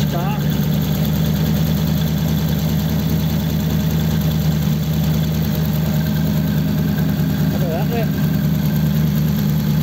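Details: 1933 5-window coupe with a crusty flathead V8, parked nearly 3 years, just started: smooth, even low burble at idle with no knocks, misses or hunting; sounds healthy.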